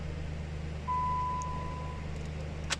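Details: 2011 American car that had a no-crank no-start, started after a wiring/fuse bypass repair. Low, even engine hum holds steady with one short chime. Normal idle.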